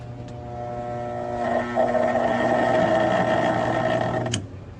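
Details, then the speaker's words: Undervoltage test of a conventional 220 V coil contactor beside a multi-voltage (100–250 V) AF contactor: at about 70 V the AF closes while the conventional one hasn't, its coil chattering with a loud mains buzz until a sharp click; vibration persists until nominal voltage. "nuestro contactor a efe cierra aproximadamente 70 volts mientras que el contacto convencional no ha cerrado y se escucha la vibración"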